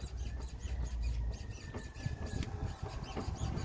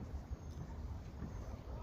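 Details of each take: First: Mercedes C63 loaded on its wheels, steered left and right: high chirpy rubbery squeaks over low rumble; possibly early ball joint wear, cured by spraying PB Blaster on control arm bushings and ball joints. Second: Mercedes C63 after fixing loud suspension squeaks by spraying lube on the upper and lower control arm bushings and ball joints: only a low rumble and wind as the front end moves, no squeaking, perfectly quiet now.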